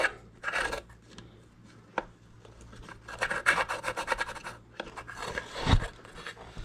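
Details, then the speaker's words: 2007 Yamaha YFZ 450 after top and bottom end rebuild, coolant leaking from water pump hose; water pump shaft turned by hand gives uneven, gritty rasping strokes instead of a smooth spin; owner suspects trashed seal, impeller possibly cracked. "This little booger right here is what we're looking at. Something don't feel right in there, guys. Listen to that."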